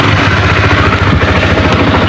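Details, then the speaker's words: Honda CBR150R motorcycle, rarely ridden, starting after starter relay/solenoid replacement; it had previously only clicked at the starter and would not crank: now starts and settles into an even, smooth single-cylinder idle with a steady low beat, no knocks. "Oke untuk starternya sudah jalan mantap mesinnya masih halus ya teman karena memang ini motor jarang dipakai ya"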